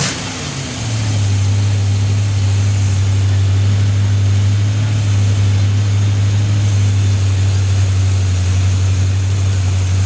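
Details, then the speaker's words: Freshly built Chevy 283 V8, fan running, tuning not yet finished: deep, steady low rumble after start-up, even and unbroken with no knocks or misses; runs okay, normal idle. "still need to find tuning but it runs runs okay I think"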